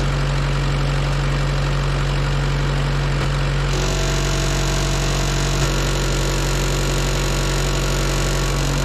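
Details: Auction-bought diesel welder that fell from a crane, idling: steady, even drone with firm low hum, no knocking or belt squeal; good oil pressure, temperature still rising; normal idle.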